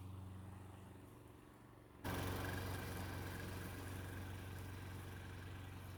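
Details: Mid-1990s (owner thinks) Toro GTS 2 550 mower, model 20436, 5hp Briggs & Stratton 124702, three-speed rear-wheel drive, after a carburetor repair (float bowl full of jelly). Quiet, then a strong steady drone holding evenly while cutting; runs healthy under load.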